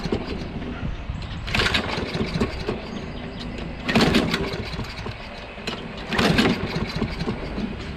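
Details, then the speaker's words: Toro Recycler XT675 mower with Kohler engine, hot after running, governor just set to proper rpm by ear: repeated cranking bursts that never catch. Still hard to start when hot; valve clearances to be checked next, magneto kept. "still hard to start it was just running right has been running won't start back up again"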